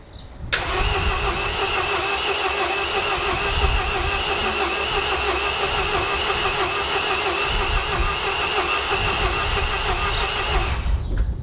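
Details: MINI R56 1.6 HDi DV6 diesel after extensive work including timing belt: steady starter whirr with even compression pulses for about ten seconds, never catching; cranks but won't start, owner suspects fuel delivery, timing belt or compression.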